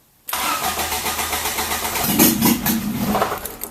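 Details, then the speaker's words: Ford Escort Mk6 van under restoration, first start attempt after battery fitted, fuel pump heard priming, exhaust not yet fitted: steady starter cranking with even pulses, catches briefly around two seconds and nearly fires first go but doesn't start. "no way no way well astounded nearly fired first go"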